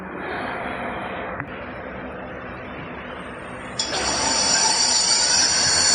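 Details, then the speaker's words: Hub motor on a sine-wave controller: faint hiss, then a sharp, loud high electrical whine once the hall sensor wire is disconnected; electromagnetic noise from the unconnected hall sensor. "This is the sound of the electromagnetic. When there's a whole sensor area or the hole while it isn't properly connected, you'll hear this sound."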